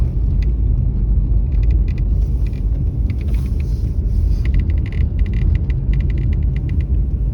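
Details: Mercedes-Benz E-Class W213 under warranty, intermittent while driving: irregular sharp crackles and ticks in clusters from the dashboard over road rumble; dealer could not find cause after about eight visits; dashboard crackling rattle.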